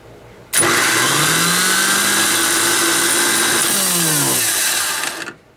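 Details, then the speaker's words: Chevy 6.2 diesel starter on a test: a harsh, gritty grind rides over the whine as the starter spins up and winds down for about five seconds, grinding while cranking but still working. "You can hear it grinding, but it still kind of works."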